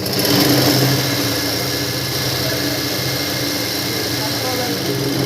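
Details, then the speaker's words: Tailor's sewing machine motor running away at a steady high speed with a fast buzzy rattle, not controlled by the pedal, because the pin inside the foot pedal has shifted; the fix is to disassemble the pedal and reset the pin. "ಈ ಥರ speed ಹೋಗ್ಬಿಡುತ್ತೆ, ಕಂಟ್ರೋಲಾಗೆ ಇರೋಂಗಿಲ್ಲ."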